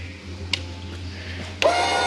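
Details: Jayco Jay Flight 28BHBE travel trailer power tongue jack raising or lowering to level the unit: a click, then a steady whirring motor drone over a low hum. Normal operation.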